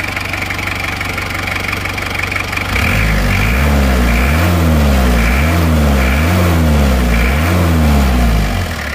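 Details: Panther 23 diesel idles with an even, steady clatter, about four beats per second, and no knocks or misses. This is after new liners and NPR piston rings, with the injection pump timing reset to standard.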